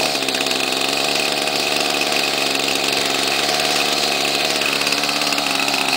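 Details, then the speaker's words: 1995 Ryobi 700R trimmer, 31cc two-stroke on 32:1 mix, started on choke: catches and holds a high, even buzz with no stumbling or surging, healthy normal running. "there you go simple as that pretty good for a 16-year-old trimmer"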